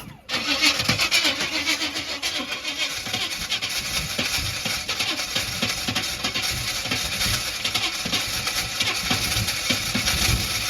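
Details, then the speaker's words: G-body Buick Regal cranks but won't start after race gas is poured in; it is visibly pouring way too much fuel. Steady starter cranking with uneven chuffs, no catch. "So earlier when I was trying to fire it up, it was just, there it is, see? It's just pouring fuel. It is, that is way too much fuel, dog."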